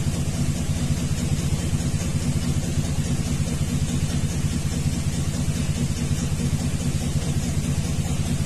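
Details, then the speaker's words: 2000 Chevrolet 2500 6.0 V8 with P0300, P0171, P0174, bank two O2 sensor unplugged for open loop: uneven loping stumble about twice a second over a low rumble; consistent cylinder 2 misfire, later found a carbon-fouled spark plug. "now it's showing consistent misfires on number two though I never did check the plug on number two and this far is on number six"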